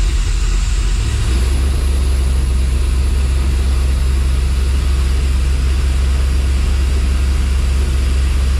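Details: Dodge Dakota R/T 5.9L Magnum V8, new heads and cam, started for fuel sync setting (+4 degrees, Snap-on scanner), about 1,000 rpm. Engine catches and settles into a deep steady idle, even rumble, no knocks or misses; normal idle.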